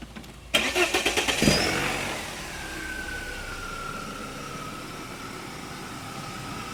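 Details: BMW E36 engine with the cracked variable intake manifold diaphragm lever cut, sealed and left disconnected. Starter cranks briefly, the engine catches with a quick rev, then settles to a smooth, even idle with no hunting.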